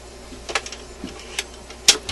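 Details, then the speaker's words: Admiral suitcase record player after cleaning the sticky end-of-record detection mechanism: a few crisp clicks then quiet as the changer trips, knob swinging to off and idler wheel pulling from the motor spindle; normal auto-shutoff cycle. "shut off this time perfect perfect you know you didn't quite see it on camera but the knob swung to the off position just as it's supposed to"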